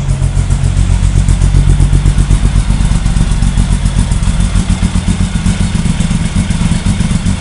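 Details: VW drag engine 2276cc, FK-89 cam, 12.5:1 CR, 91 pump gas, Megasquirt 3, cold at about 44°F, started without throttle: loud lumpy but even exhaust pulses at fast high idle, no knocks or misses; normal cold high idle.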